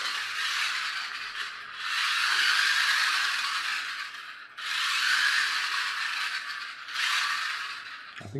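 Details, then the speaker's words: Toy car with 3D-printed replacement gear run on floor: harsh, high rattling whirr in surges from poorly meshing gear, noisiest in reverse; some noise from wheels spinning. "I'll just run this on the floor for a second so you can hear how noisy it is"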